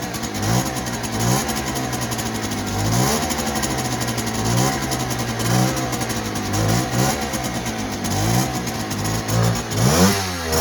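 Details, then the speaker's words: 1959 NSU Quickly 50cc two-stroke chopper moped, owner worried it may run a bit lean: revs up cleanly and repeatedly from idle with a crisp rising buzz, no bogging at high throttle; runs healthy. "but it actually goes quite well now for a 50cc um moped"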